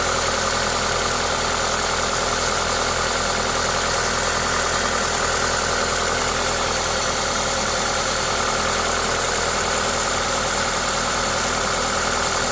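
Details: Toyota 2ZZ-GE four-cylinder at idle with an aftermarket induction kit: steady, even idle under a loud intake hiss from the open air filter, no knocks or misses; normal, healthy engine noise.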